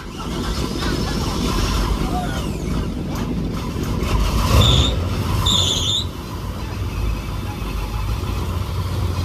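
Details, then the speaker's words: Fountain powerboat engine: short high-pitched squeals over a low engine rumble for a couple of seconds; slipping power steering belt, to be replaced. "so let's start it out we're just going to change the oil and fix that or change the power steering belt because it was clean you guys heard that sounded terror-like"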